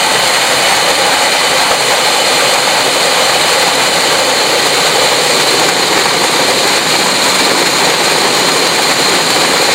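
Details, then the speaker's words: Fisher control valve cavitation demonstration in a clear pipe, with a vacuum pulled at the vena contracta: a loud, steady, gravel-like hiss and crackle that grows louder with more vibration as inlet pressure rises. "So the level of cavitation, vibration, and noise can get pretty high as you notice the pressure, as the inlet pressure, got higher and higher the vibration and the noise got louder and louder"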